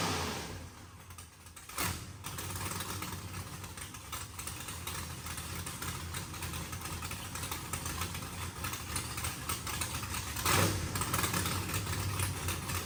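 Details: Mississippi Queen AWD build engine, first fire-up with fresh plugs and tune-up rotor: settles into an even idle with one brief throttle blip, no knock or miss, sounds healthy; fuel pressure sensor reads erratically and throttle blade still needs setting.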